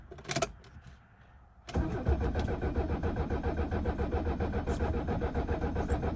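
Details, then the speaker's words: 1976 Mercedes-Benz 300D diesel with low miles, cranked in neutral with the glow plug light not lighting. Steady cranking at about four beats a second never catches. No start: only injector number 4 gets fuel and the others are dry. "I've got fuel coming out of number 4, but the other ones are dry, and I don't like that. So let me pump this thing some more. I don't see any fuel coming out of the other injectors."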